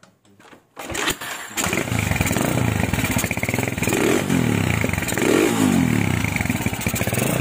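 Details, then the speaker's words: Tiger stock engine fitted with a PWK 28 NGO carburetor, air screw at two turns; lumpy, unstable single-cylinder idle with hiss, and exhaust pops on throttle release, carburetor setting suspected off. "Lihat, kalian bisa dengar juga bahwa putaran idle-nya tidak stabil, kan?"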